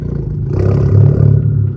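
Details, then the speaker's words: 10th-gen Honda Civic Type R (FK8, single-mass flywheel), warm with settled idle, put in first without touching gas, in-cabin recording; smooth idle swells for about a second as clutch takes up then eases back: normal rev-match idle rise. "So it's not just me or all the Type R owners revving like that. And actually, it's much louder outside."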